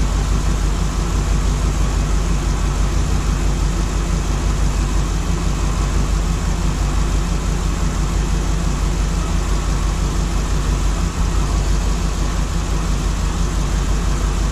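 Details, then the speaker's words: LS3 V8 in a 1955 Nomad, first start since 2017, still cold: irregular lumpy idle about three beats a second, one cylinder not firing, possibly something not connected; miss later cleared. "so it's actually running sounds like I got one of this someplace so what Maya find out which one is not hitting right now"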